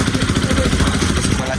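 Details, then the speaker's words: Bajaj Pulsar RS200/NS200 after a timing repair and fresh Motul oil; single cylinder pulses evenly at a steady speed, no ticking or rattle, revs well. Normal running. "Pero ya quedó bien, sin ruidos, revoluciona bien."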